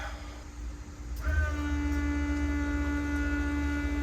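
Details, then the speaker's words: Volvo 240 turbo revived after long storage, fuel pump powered directly with a hot lead: steady electric hum with thin whine, pump spins but no fuel comes out despite 5 gallons added; fuel filter under car suspected. "She's running. You can hear her running. You can feel it running. What are the chances it's just not sucking fuel?"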